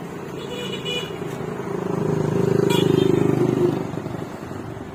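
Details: Multicab cranking with an even beat near four per second that swells and fades, never catching. The mechanic suspects a bad fuel pump, not confirmed; crank, no start.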